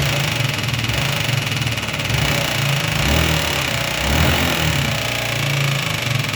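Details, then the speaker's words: Yamaha Jog 36/39 two-stroke scooter on first start after engine rebuild, revving with a hard metallic knock rising with revs; owner suspects a worn connecting rod, valve clearances checked at 0.10–0.12, cause unconfirmed. "На мою думку що це всього скоріше що колінвал стукає не колінвал а шатун сам має вже виробітку"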